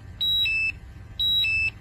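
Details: Air quality monitor with its sampling tube at the corner of the mouth under a mask: sharp high two-tone chirp repeating about once a second as oxygen drops from 20.5% to about 17.4%; low-oxygen hazardous-atmosphere alarm.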